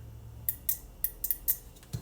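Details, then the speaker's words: Relay from a 2013 Honda CR-V being diagnosed for overheating, bench-tested with a 12 V battery on the control side: crisp sharp clicks, about six in under two seconds, as the coil energizes; switch side shows continuity, relay good. "I don't know if you guys could hear that that relay is clicking"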